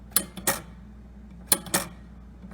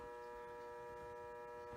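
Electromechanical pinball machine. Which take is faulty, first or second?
second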